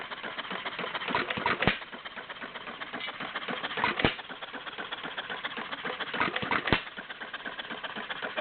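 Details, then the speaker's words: Warm Stover CT-2 hit-and-miss engine, 2–2.5 hp, choke fully open, about 500 RPM by tachometer: soft mechanical clatter with one sharp power stroke about every two and a half seconds; healthy slow governed running. "it's running at about 500 RPM right now I have a tachometer I I uh clocked it about 500 RPM"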